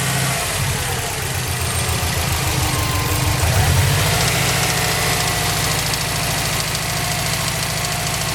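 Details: 2005 Subaru WRX boxer engine at idle: steady light ticking or knocking, roughly three to four a second, following engine speed; source not identified.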